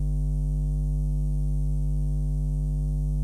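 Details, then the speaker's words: Tascam M3700 mixing desk studio setup running through a power conditioner. A steady low electrical buzz with even overtones, typical mains power hum. "if you're encountering a sort of a power buzzy sound it will probably sound something like this"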